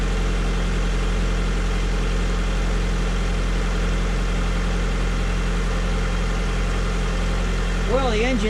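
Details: 2003 Honda Civic LX right after replacing the battery with a Group 51 unit, following a stall where dash lights went out: smooth, even idle, steady low hum, no ticking, missing or roughness; engine sounds healthy.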